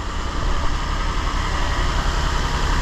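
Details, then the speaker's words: 2006 Infiniti G35, 200,000 km, new spark plugs, just started for ignition wand check: low uneven choppy idle rumble, not running well; P0300 random misfire, bank 2 lean, ignition looked fine, traced to bad fuel injectors. "okay good already we can see and here that it's not running very well"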